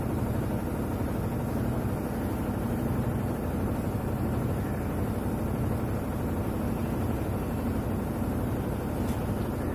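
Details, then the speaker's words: Whirlpool White Magic Pro XL 800S washer on spin after repair runs with a steady, even low hum and whoosh; the earlier kat-kat vibrating noise is gone after a loose bag was taped down. Vibration remains, suggesting a shock absorber problem. "जो आवाज़ पहले आ रहा था आवाज़ अभी नहीं आ रहा, problem solve हो चुका है इसका।"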